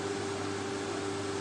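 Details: Water pump motor that had sat unused, cleaned, rewired and its jammed rotor freed by hand: steady, even hum with a clean constant tone and no rubbing or grinding; current draw about 1.5 A, judged normal.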